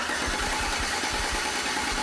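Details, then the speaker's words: Charging-system test: starter cranked 4–5 seconds with ignition disabled and an ammeter clamped on the starter wire. Steady, even cranking churn with no grinding; draw peaked near 200 A, then settled to 100–150 A, which is normal. "perfect alright so it hit about 200 amps and then he come back to about a hundred hundred and fifty absolutely perfect"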